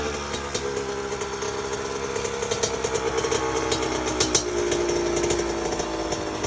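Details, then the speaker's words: Honda CR80 two-stroke just after a troublesome rebuild, not yet fully torqued down: crisp, buzzy note climbing cleanly with throttle and settling back, no knocks or rattles; healthy running. "Man, this thing was giving me like hell, but finally got it right. She sounds and feels amazing, man."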